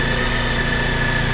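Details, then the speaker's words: Honda ST1300 motorcycle on stock exhaust, still cold so fast-idling around 2000 rpm: smooth, even idle with a steady low thrum, no knocks or misses, revs easing down as it warms; normal idle. "As you can probably hear, it's still a bit cold, so it's revving a bit high. So this is running at about 2000 RPM."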